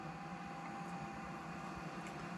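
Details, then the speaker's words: Chinese diesel heater (from Amazon) shutting down: after holding the power button the fuel pump stops and the fan keeps running with a smooth, even whir and steady hum to cool the unit before it safely shuts off; normal cool-down run. "fuel pump stops pumping and it basically made the fan keeps running to cool down the unit and it safely shuts off"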